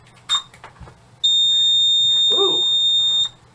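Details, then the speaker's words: Moose Z1100e security system in a salesman's demo briefcase at power-up; a short chirp, then a loud, steady high-pitched beep for about two seconds as the panel sounds on power-up. "it's loud lights right up look at that"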